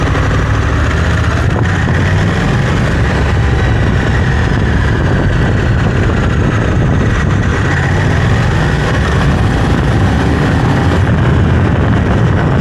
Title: Close up of Africa Twin CRF 1100l noise when accelerating